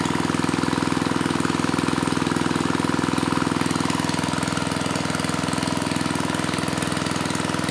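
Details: Mid-1980s Troy-Bilt Junior tiller, 3 hp Tecumseh HS35 engine (H35-45593R), after carburetor cleaning; pilot needle tuned, idle lowered to about 1,000 RPM. Even, low putter with regular firing pulses, no skips or hunting; normal healthy idle.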